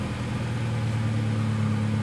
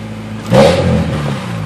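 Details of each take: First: Honda Del Sol after new spark plugs: an even, steady low hum with no misses or knocks. It sounds a lot better and cranked faster than before; normal running. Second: Honda Del Sol running after a spark plug replacement: a short blip of revs with a hollow, buzzy rattle on it, attributed to loose plastic at the bottom of the car rather than the engine.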